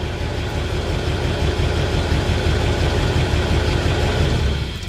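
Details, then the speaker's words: 1953 Pontiac Chieftain, unstarted over a week, cold with choke stuck open, fired right up: low steady even idle with no knocking, ticking or misses; old engine runs smoothly even cold. "Oh, well, she's cold and the choke is stuck open. Damn, she runs good."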